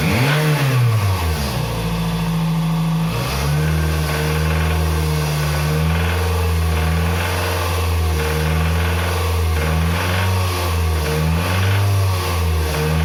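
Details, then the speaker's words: Toyota RAV4 2.0 1AZ-FE petrol, 228,000 km, knock heard at 2,200 rpm but not at idle; dull knock under the drone, timing chain already replaced without fixing it; suspected rod bearing, to be opened up. "вот такие звуки издает двигатель на оборотах 2.200 сейчас вскроем и посмотрим но мое предположение что это вкладыш Застучал"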